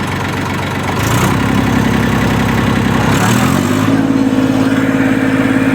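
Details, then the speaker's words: Massey Ferguson 241 diesel tractor after alternator repair and battery charging: it fires up and settles into a smooth, even idle, then a slightly higher steady speed; voltage now rises, runs healthy. "गाड़ी start हो गई अच्छे तरीके से।"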